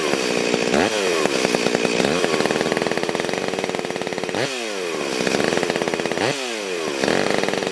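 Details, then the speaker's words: Stihl MS440 chainsaw cutting wide oak in a log splitter, before port work; high buzzy scream, revs sagging and surging under load; running lean and down on power, maybe carb issue or air leak as owner suggested. "All right, that might explain the jets on the car, but if we out quite a ways, that's a kind of maybe issues with the carb or air leak as the owner may have suggested."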